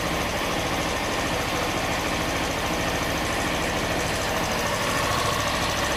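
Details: Honda Bros 160 idling with a light, fast tapping in a thin, rattly exhaust note, an internal engine knock; it has been to warranty 4 times and the noise persists, cause not pinned down.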